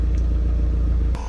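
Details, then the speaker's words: Audi MK1 TT, first run after fitting a replacement ECU (owner suspected the old one) and a long lay-up: deep, steady, smooth idle with no stumble and no smoke from the exhaust; normal idle. "I'll tell you what, sounds good. No smoke coming out the back. There we go, listen to that purr."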